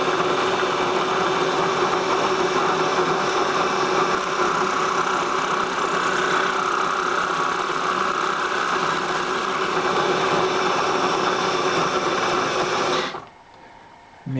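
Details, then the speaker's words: Boring bar cutting at high speed while machining for sleeve shims on a 1956 Cummins engine: harsh, steady chattering cut with a ringing tone until the spindle stops; cutting bit was left loose in the bar. "Maybe I didn't tighten the bit. Yep, I didn't tighten the bit."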